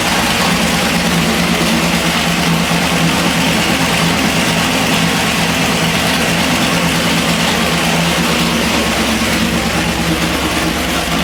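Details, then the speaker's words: Chevy 406 small block on the dyno, pump gas, budget Jegs heads and rockers: loud V8 idle with a quick light ticking, a suspected loose valve or rocker, so the valve covers are pulled to check. "I don't know if you can hear that on camera, but it sounds like we might have one a little bit loose. So, we're going to pull valve cover real quick and or pull valve covers real quick."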